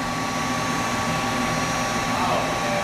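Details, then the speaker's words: Goodman GMS90904CXA furnace with a newly replaced blower motor, starting after the heat exchanger warms: steady, even air rush with a faint constant hum, no rattles, scrapes or wobble. Normal blower operation. "So we're waiting for our blower. And there we go."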